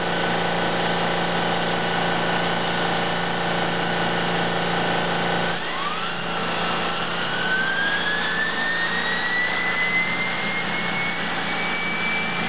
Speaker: let's see what it's doing now so right there it's doing about 5,500 RPM and that's kind of as fast as I wanted to go